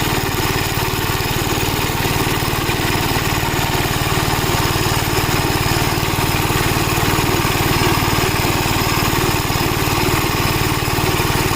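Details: Gravely Model L tractor with governed single-cylinder engine, after replacement of a blown head gasket: steady, even putter at constant governed speed with no misses or knocks; runs really good, though an oil leak is still being traced.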